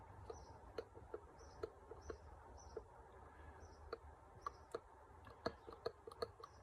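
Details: Triumph TR7 mechanical fuel pump, removed from the engine before its first start and worked by hand, giving light, uneven ticks about once or twice a second. The owner is unsure whether this is normal; a second pump showed more movement.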